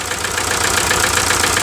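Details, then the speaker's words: 1998 VW TDI at nearly 500,000 miles, run on about 80% waste vegetable oil: diesel idle with an uneven, lumpy beat and a recurring stumble in the firing rhythm; misfire and blow-by from low compression caused by a stuck piston ring. "So I'll start up and you can see the misfire and the blow by. Kind of like a train, huh?"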